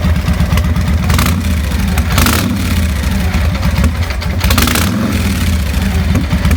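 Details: 2000 Victory V92SC V-twin motorcycle idling roughly with a deep, uneven, stumbling beat that never settles and stalls. Rough idle.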